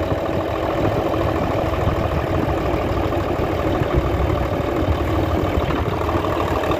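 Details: Hino Euro J08C six-cylinder truck diesel after an air compressor fault repair: steady, even diesel clatter at idle with no extra knock on top and clear smoke; the engine sounds healthy at normal idle.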